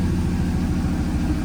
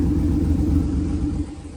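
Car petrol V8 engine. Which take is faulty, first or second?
first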